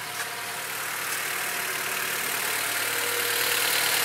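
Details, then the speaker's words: 2004 Acura TSX after replacing a bad ignition coil to fix a misfire: steady engine hum with an even, unbroken idle and no stumbles, now running much smoother. "notice the engine is running much smoother now"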